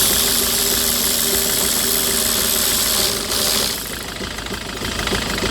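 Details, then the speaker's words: 2008 Citroën Nemo diesel van idles unevenly with irregular knocking about three times a second after a no-start fix via fuel filter priming; excess fluid residue in the combustion chamber, expected to smooth once dry. "So the engine starting, but it's still shaking because there are some residue on the combustion chamber. That is too much fluid on the combustion chamber. But it will back to normal once it's dry."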